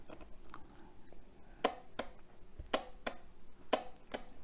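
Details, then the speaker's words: Butterball-Masterbuilt XL turkey fryer that won't turn on, back off: the power safety switch is pressed with a wooden stick, giving six crisp clicks; in stock position its actuator didn't press it far enough. Normal microswitch click. "When that little switch is pushed down, the unit turns on, and that is activated by pushing down on that little plastic thing that presses down when you put the control panel back into the fryer."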